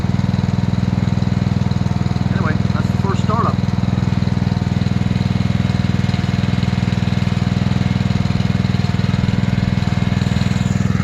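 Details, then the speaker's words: New Simpson ALH3228-S pressure washer running just after its first startup, which took more throttle and little choke. A steady, even small-engine drone at constant speed with no misses; runs cleanly. "I will say this sounds like it runs like a kitten see a lot of shaking really"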